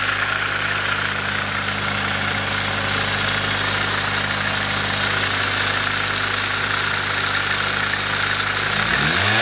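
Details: Nissan 240SX KA24DE four-cylinder at idle: a busy, uneven clatter riding on top; owner suspects timing chain noise, not confirmed.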